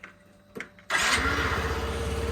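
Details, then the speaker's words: 50cc Yamaha Vino fuel-injected scooter after repair with a new battery, fully reassembled: a few quiet clicks, then the little engine catches at once and settles into a steady, even putter. Normal start and idle. "hahaha that's great let's go for a little burn and see if see how it goes here we go"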